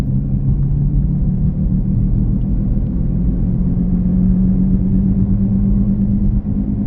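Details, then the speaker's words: 2017 Chevy Equinox while driving: a deep steady growl under road noise grows louder as speed rises. Owner suspects a worn driver-side rear wheel bearing; rotating the tires didn't help. "let's see if we can hear it here gets louder more intense the faster you go"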